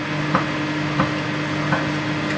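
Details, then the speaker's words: Home-built 5000 W BTL power amplifier kit with a replaced filter capacitor: a steady low mains hum with a few sharp clicks that grounding the CT to the body only reduces; disconnecting the input removes it, so the fault is in the input stage. "Tapi kalau inputnya dilepas, ini hilang suara dengungannya. Masalah di bagian input."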